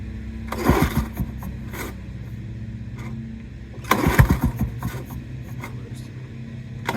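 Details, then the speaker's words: Lawn-Boy 8073B two-stroke mower that dislikes sitting long: repeated pull-cord yanks each give a brief sputter but no sustained running; hard starting, never this hard before. "Spring up, it sounds like. It's never been this hard to start."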